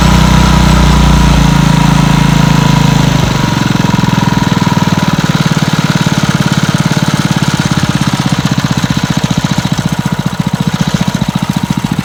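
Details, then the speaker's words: Montgomery Ward rototiller's single-cylinder engine after a no-start fix, air cleaner still off: it catches after brief cranking and settles into an even, steady beat with no misses. Running normally. "That old girl runs real good. All right. Sounds pretty darn good, I think."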